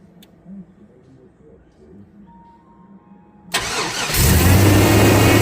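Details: 1999 Chevy 350 5.7L Vortec truck started right after replacing distributor cap and rotor; a quiet stretch, then the engine catches at once and settles into a loud, steady, even run with no misses or knocks.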